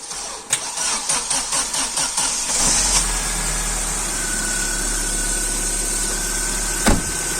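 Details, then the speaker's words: 1.5-litre car engine on a fully flat battery (about 6 V), started with a 7500 mAh portable jump booster: about two seconds of even cranking, then it fires cleanly into a steady, smooth idle; normal start. "Отже ви все побачили На власні очі якщо ви кудись поспішаєте це у вас 5 хвилинн запущений все справно працює"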